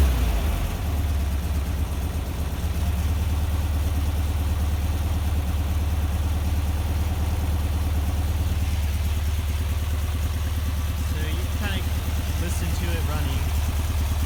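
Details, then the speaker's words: Rebuilt VW Vanagon Type 4 air-cooled engine on a cool start, warm from driving but sat at least an hour: an even low rumble at steady idle with no knocks, misses or hunting. Healthy. "it's not going to be a cold cold startup but it's it's a cool we'll call it a cool startup so let's start it up then and we can listen to it idle all right"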